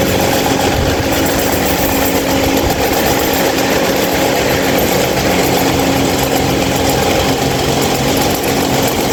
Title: loud noise 26" mahita stand fan